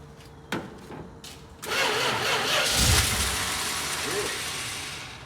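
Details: 1971 Dodge Charger with 26k original miles, sat 27 years in a barn, old varnished fuel: short cranking bursts, then catches on ether with rough roar for about two seconds and dies; cause not confirmed.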